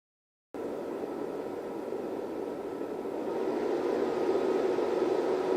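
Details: Rigol DP832 power supply with stock SUNON ME80251V1-000C-A99 80mm fan before replacement: constant airy whoosh with a faint steady whine creeping up slightly; noisy cooling fan.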